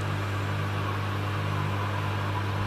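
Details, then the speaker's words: Grundfos water pump running with no rubber or anti-vibration pad beneath it gives a steady low droning hum, its vibration (2.2 mm/s) carrying straight into the floor. "okay first we'll test without any Rubble pads this is nothing at all just the pump you can see the vibration is quite high at 2.2 mm per"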